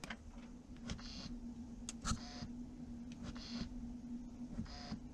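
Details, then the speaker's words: Audi Q5 55 TFSI e Quattro S-Line plug-in hybrid (2.0 TFSI four-cylinder plus electric motor), cabin: faint irregular clicks and short whirring ticks over a low hum as a control is worked; owner doesn't know if normal, cause unknown. "so this is a strange noise i don't understand why it's here"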